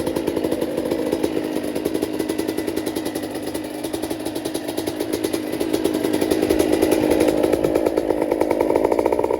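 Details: 2008 Suzuki RM125 two-stroke after engine rebuild (new gaskets, seals, bearings, piston; bad crank bearing and leaking crank seals fixed), first test run: crisp crackle, revs rising and falling freely, no knock or rattle; runs cleanly.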